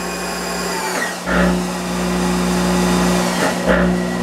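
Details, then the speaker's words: Monarch 10EE lathe at speed, speed knob turned rapidly: motor whine drops fast, clunk and relay snap as drive brakes hard, twice; quick slow-down relay (big coil that can spark) engaging normally. "now watch this i'm going to turn the knob rapidly see that now that's that quick slow down relay you see sparking on a lot of these"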